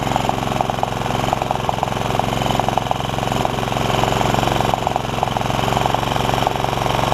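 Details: Honda HR194 push mower, single-cylinder, after the ignition coil swap and freeing the stuck throttle linkages. Steady, even chugging at mid throttle; it holds speed on its own without stumbling or surging, having started on the first pull.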